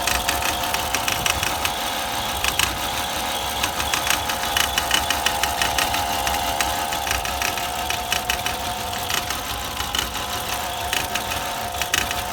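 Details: 2002 Volvo XC70 running rough: irregular sharp knocks about once a second over a steady hum, a misfire; previous owner says it dropped a piston right after a timing belt job.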